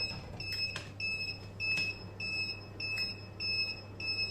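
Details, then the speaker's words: Inverter powering a boiler and Wi-Fi router from an Electronicx 12 V 100 Ah gel battery, after 6 h 10 min: shrill beeps about a hundred times a minute over a low hum. Low-battery warning, later reading 10.9 V. "фактично чуєте який писк блимає остання ця акумулятор фактично розряджений тому будемо виключатися переходить на іншу Батарею"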